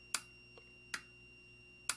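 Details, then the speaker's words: Harris AM limiter during alignment at 20 Hz: R36 is turned until it clatters, then turned back down until the clattering stops. Sharp clicks over a low hum and high whine; sensitivity set too high. "can you hear it click all right turn this back down again and a little more okay so that's right that thing is quit clattering"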